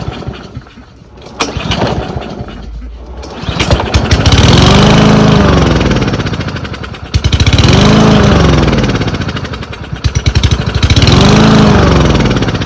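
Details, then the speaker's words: Troy-Bilt 12AV02C2066 lawn mower with Huayi carburetor and thermal choke, fuel and oil checked: revs climb and sag every three to four seconds, surging as the governor hunts against a fuel-starved carburetor. "You could hear how it was running. It was surging up and down pretty bad. The motor's starving for fuel, and so the governor's fighting back on it."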